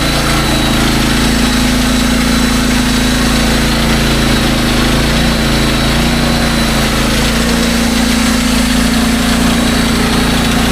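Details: SDMO 5000W generator, Briggs & Stratton engine (about 18 hp), after repair, under a 6 hp vacuum plus 1500 W heater load (about 15–20 A expected); steady constant drone, no surging, misfire or hunting; normal running under load.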